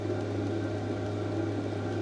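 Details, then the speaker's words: Heater powered by 5 Ah Milwaukee batteries through a 12 V, 20 A regulator (display 11.9 V), extractor fan on, fully heated up: soft steady low hum with even airy rush, no surging or rattles, pump ticking; normal running. "definitely had time to heat up and it is absolutely roaring."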